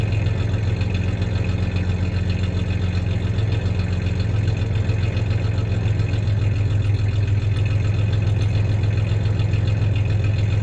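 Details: 1993 Ford Ranger 3.0 V6 idling, with a little rev, and a faint uneven stumble from a slight misfire; the loose clanking heard is the tie-downs in the bed, not the misfire.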